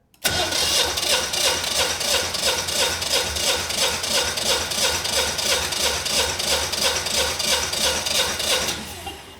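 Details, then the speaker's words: Generac 20kW standby generator, GTH-999 999cc propane engine, compression test on back cylinder reading about 210 PSI, plugs spotless: even cranking, about three equal compression pulses per second, none weak; good compression. "Yeah, about 210 PSI. So, the engine has good compression. It should definitely run."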